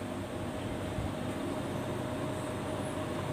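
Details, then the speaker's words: Split wall air conditioner indoor blower fan that had stopped spinning, tested after repair at increasing speed settings: steady even air rush with faint constant tone, smoother as speed rises, no rubbing or ticking; running normally. "nah semakin keras putarannya suaranya juga ngasih halus"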